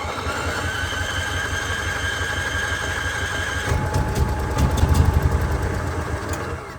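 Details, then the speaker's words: Onan generator on cart, gas left in for a year, after priming: uneven, stumbling low thump that swells and sags instead of holding steady; running rough, old fuel and dirty carburetor suspected. "all right he's trying not running good but man that gas has been in there for a year"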